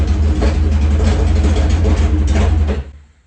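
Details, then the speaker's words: Yamaha GP1200R converted to a GP1800R, new engine's first start, speedo cluster not fitted: a loud, harsh, unmuffled note with a steady, deep pulse that then cuts out. Running fine; the fuel line was not yet installed. "All right. That's a start. Sounds awesome."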